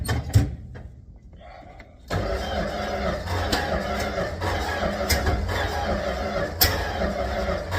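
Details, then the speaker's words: Late-1960s (67–70) Dodge A108 van, 318 V8, three-on-the-tree manual, timing issues; cold garage, after priming with extra fuel the starter spins it with uneven chugging near four beats a second but it never fires; crank, no start; owner suspects points, may retime. "Yeah, I don't know what's going on."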